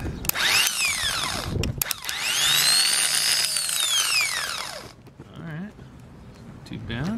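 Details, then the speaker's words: New replacement starter for a 2006 Ford E-450 Super Duty 6.0 V8 diesel, bench-tested. A clean whine rises, holds steady, then winds down evenly with no grinding; sounds better than the failed unit. Normal starter spin. "all right sounds better what do you think i think i think it might work"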